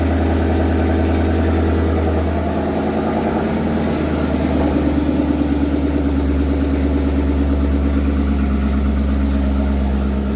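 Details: Datsun 240Z with Coyote V8 swap, first running after 1 year 8 months of work: deep, even V8 burble with one quick throttle blip, then a steady, smooth idle; engine running healthy.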